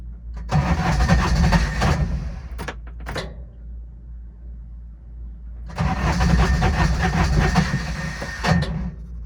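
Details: Older Intimidator diesel UTV in park with a touch of throttle, cold: two long bursts of labored cranking, about three turns per second, no catch; owner blames worn starter bendix and suspects faulty glow plugs; larger battery fitted.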